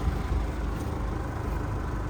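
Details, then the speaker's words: Isuzu D-Max 2.5 diesel, 2011, just started and idling: steady, even low rumble with no knocks or misses and no white smoke. A smooth idle from a healthy engine. "เนี่ยนะครับเครื่องดังนิ่มมากนะครับดังนิ่มมากนะครับเครื่องเครื่องยนต์ดังนิ่มมากนะครับ"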